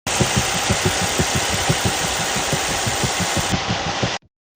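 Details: Mercedes-Benz 276 engine (S320/W222) idling with a steady putt-putt popping about three times a second, heard in the cab. Oil consumption is high; this common fault is usually caused by a damaged turbo wastegate valve.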